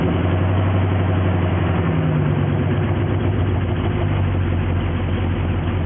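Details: 1973 Jeep Wagoneer warming up at idle on a retro choke, second oil pressure gauge reading about 35. Even, deep idle rumble with no knocks, misses or ticking: a normal, healthy idle.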